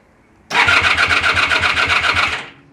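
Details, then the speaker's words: Honda VF1000F revival after a new starter clutch was installed: brisk, even cranking with steady compression beats, not firing, fuel supply uncertain, oil pressure present; normal starter cranking. "go. Spins over way better. That's a new starter clutch. Don't know if it's got any fuel."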